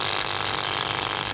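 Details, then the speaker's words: Gas compressor machine running noisily with harsh, high-pitched rattle and clatter over the motor. It is also not delivering gas; the cause of the noise is still to be found by opening it. "आज इंशाल्लाह हम इसको repair करेंगे और इसको check करेंगे कहां फाड़ दे किस वजह से इतनी आवाज़ कर रही है"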